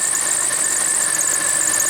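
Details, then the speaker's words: 1992 Oldsmobile Silhouette van, about 210,000 miles, V6 idling with a misfire traced to a failed ignition coil: constant high-pitched squeal held steady over a quiet idle; a squeaky accessory belt suspected, not confirmed. "I mean for now let's get the ignition coil see what's up with that squeaky belt otherwise this thing might be drivable"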